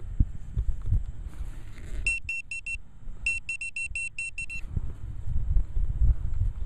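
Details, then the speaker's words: Pinpointer in a Velox 1 park dig hole gives two runs of quick, high, evenly spaced beeps over scraping dirt, right on a small iron square bolt target. "Here it is, guys. It's a square bolt, that one is. Just breaking up."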